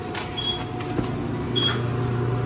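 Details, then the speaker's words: Frigidaire FEX831FS4 stacked dryer, drum running: low steady rumble and faint constant mid-pitch whine/squeal from a worn rear drum bearing needing a rebuild. "back bearing it needs a rebuild"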